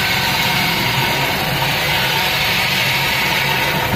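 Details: Daihatsu Gran Max minibus, K3-DE 1.3 petrol engine, running rough with an uneven shaky pulse under a loud hiss; it limps on cold mornings, lacks power, weakens as it heats and whispers at the front; suspected valve clearance, past overheating or compression leak.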